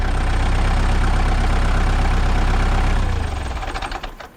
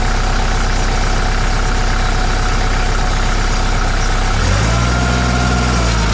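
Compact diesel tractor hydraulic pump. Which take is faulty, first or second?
second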